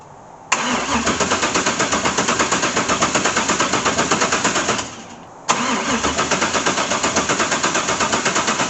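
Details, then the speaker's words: LS1 V8 swapped into a C3 Corvette, first start attempt after priming fuel: two long runs of steady cranking at about three beats a second with no firing; spark plug showed no fuel, injectors found gummed up and totally clogged. "okay folks I think I figured out why my car wouldn't start these injectors are just pretty gummed up if you look in there it's completely just totally clogged"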